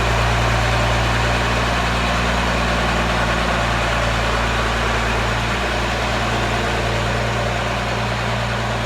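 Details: Diesel in a Ford ("Fummins") idling steady and even right after a newly installed P-pump was primed and the injector lines bled, with a firm low rumble, regular firing and no misses or knocks: normal idle.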